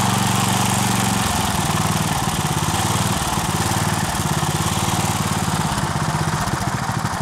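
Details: 1963 Bolens Husky 600 lawn tractor single-cylinder on 10-year-old fuel, off choke: racing high and unsteady, surging rather than settling; throttle linkage to the governor is disconnected, so revs can't be controlled.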